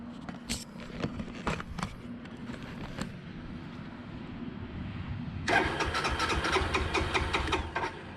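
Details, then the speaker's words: 2002 Suzuki GZ250 single, sat 15+ years, first start on a battery boost: uneven cranking for several seconds, then catches and runs rough and fast; possible fuel-feed issue, bubbles in fuel line. "Oh, that sounds good. Oh yeah, oh yeah."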